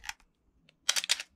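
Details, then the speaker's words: Canon A1 35mm film camera, after oiling gears to cure the Canon cough/squeak: shutter fired at 1/125 with crisp quick mirror and shutter clacks, no squeak or drawn-out cough; mechanism now normal. "okay so that's all normal so that was on 125."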